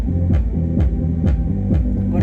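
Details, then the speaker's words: Reconditioned loudspeaker playing music with its over-long lead wire released: deep bass notes carry a buzzy rattle on each hit. The loose lead wire is slapping the cone; the fix is to desolder it, cut it shorter and resolder. "Ó, a cor do alho fica batendo, ó. Então isso daqui é um dos defeitos que pode acontecer."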